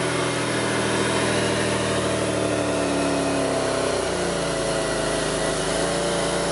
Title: '02 Pontiac Grand Prix 3800 Rough Idle Bogging No CEL Alternator Overheat Torque Fuel Trim Data